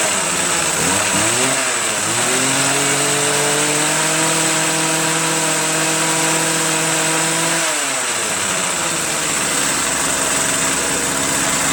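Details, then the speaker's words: Free Homelite or Troy-Bilt leaf blower with silicone-sealed gas cap: two-stroke buzz climbs to a steady high note for a few seconds, then sags and dies when switched to run; stalls on run. "Fire it up. Except it stalls on run."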